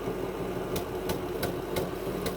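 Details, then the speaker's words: 2000 Ford F-250 Super Duty 5.4 L V8: intermittent rough idle, uneven exhaust beat with sharp irregular puffs; misfire, injectors and plugs tested working, owner suspects intake manifold gasket leak. "I get some intermittent rough idling. You can hear the exhaust."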